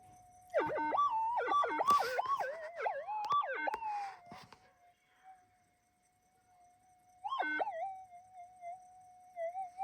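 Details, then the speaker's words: Minelab GPX 5000 metal detector that had been going crazy before repair: steady threshold tone breaking into wild warbling swoops and chirps with no target, erratic false signals. "So that was one of the crazy videos."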